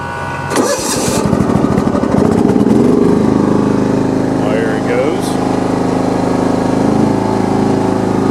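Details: John Deere 170 lawn tractor after steering, front wheel and deck-height repairs, cold start on choke. Brief crank, fires within a second and settles to a steady, even run with no misses; healthy cold start.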